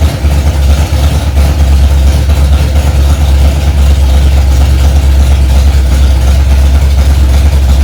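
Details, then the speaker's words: Freshly rebuilt Ford 289 small-block V8 in a 1965 Mustang, first start after priming to about 85 psi oil pressure: loud, lumpy, choppy low idle from the big cam, holding steady without stumbling; normal idle. "Well, it runs."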